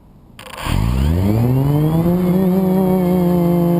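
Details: FPV drone flown with a bad motor bearing: high buzzing whine with wavering rough tones, twisting on full throttle; worn bearing later oiled and replaced.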